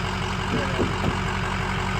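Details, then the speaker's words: 2005 Ford F250 6.0 Powerstroke diesel after repair of a progressively worsening front-end vibration and rumble: steady idle with even, regular clatter and no shaking drone; the vibration is gone and the idle is normal. "drastic difference so much wider all you hear is what you're supposed to hear now"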